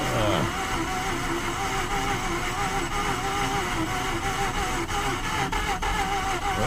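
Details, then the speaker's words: Free 2009 Mazda RX-8 Grand Touring, 6-speed manual, 215k miles, not run in 8 months, suspected low compression, at -8°: slow even cranking with a couple of weak sputters, no start; owner blames thick cold oil slowing the starter. "That time it stumbled a couple times, got a couple sputters, but it's really, obviously with this -8, the engine oil is just so thick the starter's not cranking it as fast as it'd like."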